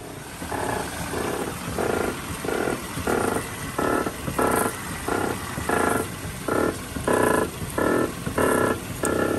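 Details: Car with a customer-reported loose feeling: repeated croaking squeaks about once a second as the steering wheel is rocked, from a dry sway bar link pin, confirmed by clamping; grease recommended.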